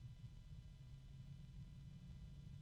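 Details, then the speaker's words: Unbranded Fanner F120 120 mm PC fan at about 2,000–2,060 RPM: loud, low-pitched droning hum rising in volume with speed; a friction sound, bearing or otherwise, grows with speed. "oh wow it's a low pitch but quite loud okay we're at 2,000 RPMs now or 2060 approximately"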